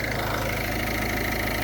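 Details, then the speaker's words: Diesel car in cold weather after fuel filter change and bleeding air from the fuel system: steady idle with even low clatter, no stumbling or hunting; idles normally once air was purged. "but it's important that we don't have air in in in motor that's that's really important so that's good that's good"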